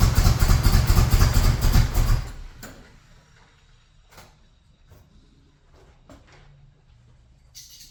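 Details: 1978 Chevrolet Monte Carlo SBC 305 (5.0) V8, rebuilt 2004 and probably under 50 miles since, rebuilt Edelbrock Performer 1406 carb not yet adjusted; cold start runs rough and loud for two seconds, then dies to silence. Stalling after cold start on unadjusted carburetor.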